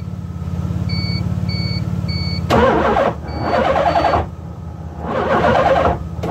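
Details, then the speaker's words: LH6 5.3 V8 in a 1986 Mazda RX7 on a Holley Terminator X 24x/1x setup: steady cranking with a dash chime and brief surges that never catch. The owner suspects the 4-gauge starter power cable is too small for the amp draw. "well sort of fired up for a second we'll try that one more again i guess it's it's one two man it's it's right there at wanting to"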